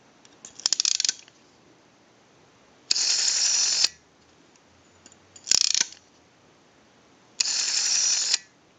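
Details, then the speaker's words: Early AE candlestick telephone rotary dial with pulse contacts driven by a linkage off the center: four bursts of fast, even clicking as the dial returns after each wind-up. The contacts open and close cleanly and regularly. "this little linkage here coming off the center it's these contacts and then actually pushes them down when it returns and opens those contacts and then when you start to dial they close and then they open they're closed open"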